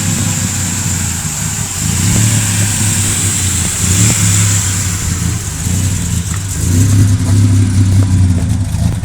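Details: 1997 Ford Ranger XLT 4.0L V6 with a Flowmaster American Thunder dual exhaust misfiring. There is a deep, loud rumble with an uneven, stumbling beat at idle and light revs.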